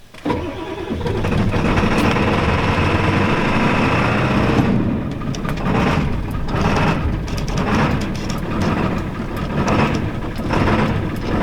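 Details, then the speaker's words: Ford 7.3L Power Stroke diesel truck, about 26 years old, started at about 50°F without throttle; long uneven cranking, then rough lumpy run with misses and no oil pressure; hard cold start, injectors suspected. "I'm not going to try a throttle because it should start without the throttle. It's like 50 degrees Fahrenheit today, but we'll find out."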